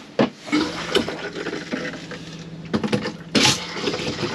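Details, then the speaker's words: Used motorhome water system refilled after drain-down, basin tap opened under pump pressure: irregular spits and gushes every second or so; air still trapped in water lines, spluttering tap. "no because it gets blessed why will i get splashed it could be very funny if you do because it's still got an air airing"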